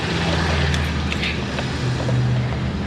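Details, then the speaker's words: 2017 BMW X5, 135,000 miles, passenger-side air suspension compressor after removal and repair: steady low hum with faint even mechanical whir; pump working normally and car back to normal ride height. "it's working i can hear the pump uh it is working oh my gosh and uh the car is back to the normal ride height"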